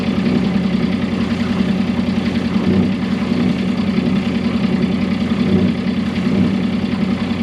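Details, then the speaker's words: Sailboat diesel at idle, in neutral and in gear, sounding below the helm, worsening since purchase: steady idle with coarse grinding rumble underneath; cutlass bearing suspected but ruled out because the shaft doesn't spin in neutral. "It happens in neutral and in gear. When you're outside, it sounds like it's happening right below your feet, right at the helm."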